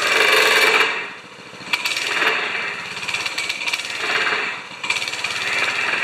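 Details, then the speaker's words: 196cc plate compactor, previously seized, now running after repair with the clutch engaged. A steady engine run with a rapid rattling thump of about three or four a second from the plate: normal running. "so sounds pretty good actually clutches too okay i call that a success we've gone from a seized plate compactor to an operational plate compactor"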